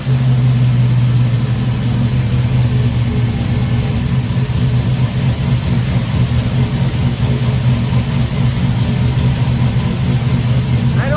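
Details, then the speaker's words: 1955 Buick with turbo LS swap, first start with new homemade 3-inch exhaust: Silverado tailpipe pieces, swap-meet Thrush muffler, slash-cut tip. Deep, loud, steady rumble swelling on throttle blips, bypass valve open: loud open exhaust. "It's going to be much of a sleeper. Loud valve's working."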